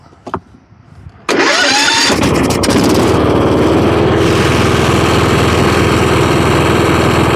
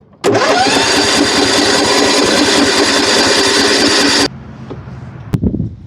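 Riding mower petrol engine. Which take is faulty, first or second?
second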